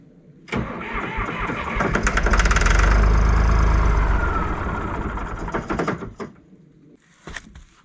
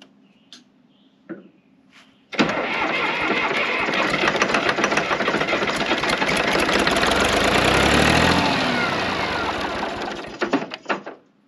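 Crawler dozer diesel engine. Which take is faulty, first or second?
first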